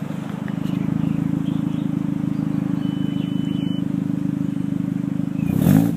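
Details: Jetta; low steady drone with a soft pulse three to four times a second plus a faint high tone; unidentified rhythmic noise.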